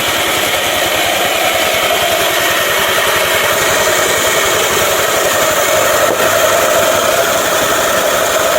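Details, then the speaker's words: Yamaha NMAX after crankshaft repair with a bolt-type fan boss thread and press fit; steady, even engine buzz held at revs with no knocking or rattling, sounding smooth, though the CVT still clacks pending spring replacement. "Halus. Ketika udah nge-pres pasti halus suaranya."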